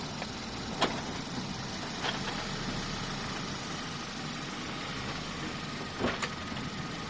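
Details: 2012 Hyundai Veloster Base, 150k miles, at quiet idle: a few isolated sharp clicks a second or more apart; also harder shifts and front bouncing on shifts, source unclear.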